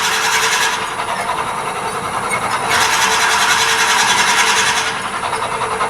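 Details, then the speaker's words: Wood lathe at about 500 RPM, drilling a hole in a turned tool handle, with the bit held in the locked tailstock: a steady high whine with hissing scrape from bit friction; waxing the drill bit kills the noise. "One thing when you're drilling holes, hear the whining? There's two things we can do here. If you're bothered by that noise, it's really easy just to wax the drill bit, kills the noise, and you can continue on."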